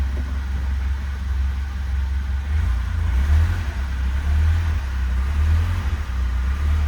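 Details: 1977 Alfa Romeo cold start after letting the fuel pump prime about 30 seconds: deep, even rumble swelling and easing with throttle blips, no knocks or rattles; oil pressure right up, healthy revving.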